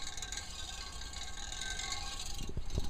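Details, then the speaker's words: Loose, uneven rattle over the airflow hiss of a room vent extractor fan: a small tree limb has grown into the fan and catches the spinning blades every time it blows. "But that noise, if you're wondering, is a little tree limb that's grown into the fan, and it's rattling against the fan every time it blows."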